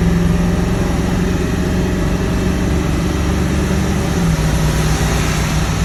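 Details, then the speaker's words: Ford 7.3 Powerstroke diesel truck with a cold-start/white-smoke problem, after all injector shims were installed, running cold and not fully warmed: a deep, even drone under load with no knocks or misses. It now starts, runs smooth and shifts smoothly. "So smooth. I'll tell you what, it doesn't only help the thing start. This thing is running amazing."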